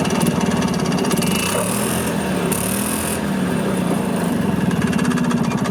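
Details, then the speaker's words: 1986 Yamaha G1 gas golf cart, two-stroke, after carb cleaning: runs continuously with a buzzy, pulsing note that rises slightly with throttle, no stalling. It had died while driving and then cranked without starting, with fuel smelling like diesel. Repair successful. "Okay, successful repair."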